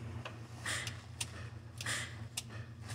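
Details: 1990 Ford F350 with Vulcan 866 wrecker bed: sharp clicks in loose pairs about once a second over a steady low pump hum; clicking coming from the hydraulic pump, cause not confirmed.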